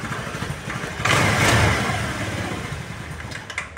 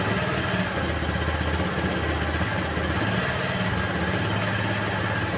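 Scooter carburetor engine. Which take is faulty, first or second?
first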